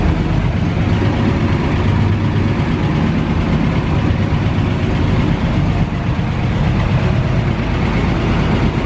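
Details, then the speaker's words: 1940 Dodge VK62B 3-ton ex-RAF truck, restarted after months unused on old fuel with choke just eased off: deep low rumble at idle, fairly even without stumbles, smoothing out as it warms through; normal idle. "she's smoothing out a bit now well she's warmed through a bit now"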